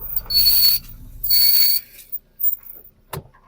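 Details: Vauxhall Astra, passenger rear wheel, microphone at the wheel, car rolled backward and forward: two harsh metallic scraping bursts; worn rear brake pads scraping the disc, pads need changing.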